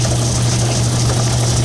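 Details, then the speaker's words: 10-inch Logan lathe running after its drive belt was replaced with a new one; steady low hum, even tone, no thumping or slap, runs better with only slight wiggle: normal running. "we're gonna fire it up and see if it worked well new belt seems to be running"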